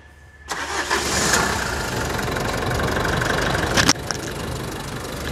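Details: 2019 Nissan Frontier, manual gearbox, during a full service, microphone under the hood: quick catch on the key, then a steady even idle with no knocks or rattles; normal engine start and idle.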